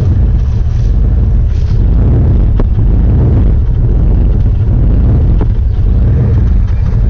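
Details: Jeep Grand Cherokee 5.9 V8, started this morning after battery jump: deep rumble at idle with occasional stumbles and uneven lope; rough idle, cause unknown.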